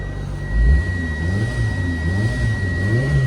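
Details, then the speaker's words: Kei car at a Japanese auction, running with light throttle blips: a smooth low engine note rising and falling over a faint steady high whine; the engine sounds healthy and responsive. "Engine sounds relatively healthy. Nah, it sounds good, honestly."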